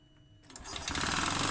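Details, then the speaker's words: Honda Beat FI scooter often run with late oil changes, still harsh with the roller housing removed: it catches and runs up with a harsh, rapid clattering knock rising with revs. Piston back likely scored from running low on oil. Piston slap. "tanpa rumah roller suara masih kasar berarti bisa disimpulkan 95% ini yang bermasalah di bagian pistonnya bisa karena kehabisan oli atau pernah kekurangan oli jadi bagian punggung pistonnya itu luka atau baret"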